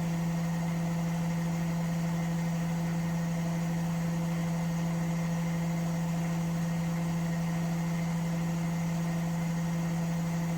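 Steady, even hum with a faint slow pulse and no knocking or banging; the drum is spinning smoothly and quietly.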